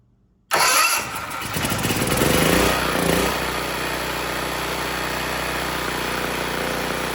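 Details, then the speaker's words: Generac XG8000e generator with a 407cc GH410 engine (0K5107) and clone carburetor: starts first pull, briefly surges, then holds a steady, even buzz; the engine runs well, but no power reaches the load, so the AVR is to be swapped. "well the good news is the engine started it sounds good the carb is running it pretty well"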